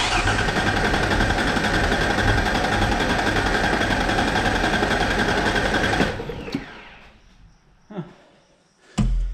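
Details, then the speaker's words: 1994 Mazda B3000 with swapped 4.0 OHV: steady fast cranking about four turns a second, no firing; fuel and spark present, injector pulse later confirmed, cause found to be water-contaminated fuel. "I can hear the pump running. Uh, we got lots of fuel there. So, yeah, that's weird."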